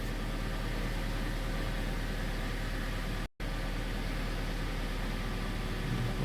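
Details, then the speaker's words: Mitsubishi Lancer X 2.0 with CVT, after fix: smooth, steady idle with even low drone and no belt chirp or squeal; owner's complaint of alternator belt squeal on cold start, not present now, previously suspected alternator bearings. "всем машинка работает ровно и по поводу песка ремня звука нету проявляться он на холодную час его нету получаются мы победили"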